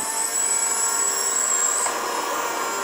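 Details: Dyson DC37/DC33 vacuum before repair: thin high whine wavers about two seconds then drops away over a harsh airy rush, with a burning smell; failing motor.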